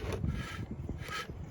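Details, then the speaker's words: Original Mando alternator from a 2004 Kia Rio, which locked up while sitting, turned by hand on the bench: dry, rough grinding rasp in two slow strokes; rear bearing failed. "Yeah, them bearings are shot. You can hear it."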